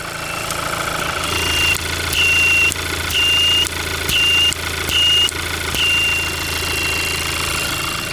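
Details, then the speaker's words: Engine idling with the PCV valve refitted to its vacuum hose and a finger alternately covering and uncovering the valve end: a thin, high whistle starts and stops about six times, showing the valve opens and closes normally. "you can hear the valve whistling here at opening and closing"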